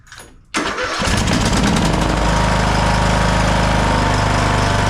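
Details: Craftsman LT1000 riding mower with single-cylinder Briggs & Stratton 17.5 Intek, after replacing ignition coil that caused no-start: brief crank, catches within a second, settles to steady even beat about four per second; normal start and idle.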